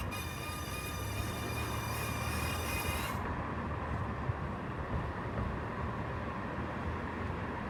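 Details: 2018 Mazda CX-5 squealing on right turns but stopping when braking: thin steady high-pitched squeal over road rumble, then cuts off; pads and rotors fine, cause was brake pad retaining clip touching rotor, fixed by adjusting it.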